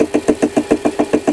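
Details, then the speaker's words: Homemade ball turning tool cutting with a reused broken press-tool cutter: rapid buzzing chatter about seven times a second with ringing mid tone as the radius in the bottom corner engages; fine if cut gently. "As the rad comes into play in the bottom corner, you hear a bit of a chattering,"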